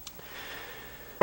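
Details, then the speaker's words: Marco CP 690E eye-chart projector after repair (re-soldered C4 capacitor on the circuit board; previously dead, humming, chart masking faults): short motor whir and one firm clunk as the chart mechanism moves, normal operating sounds. "and those are the usual sounds and then it uh projects in response to each of the acuity"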